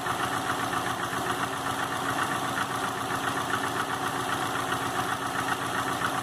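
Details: 2005 Subaru Legacy GT turbo flat-four rebuilt (refurbished block, new crank and bearings, used rods/pistons and heads) after spun rod bearings; warm idle oil pressure 22psi, new plugs, no exhaust leaks, used VF40 turbo: light, loosely regular tapping two to three per second at idle, cause unknown.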